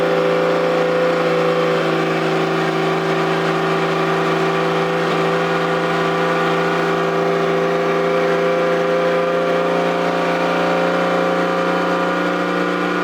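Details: Toyota 7M-GTE straight-six (MA70 build) after a four-month rebuild, no exhaust fitted, intercooler bypassed. Loud raw unmuffled steady drone with an even beat; engine running smoothly, normal.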